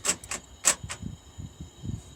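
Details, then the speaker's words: Seat Ibiza interior locking not working: pressing the inside lock button gives two quick pairs of sharp clicks as the door lock actuator locks then immediately unlocks. Actuator double-cycling. "I was saying like it sounds like it's unlocking and then locking sorry locking and then unlocking"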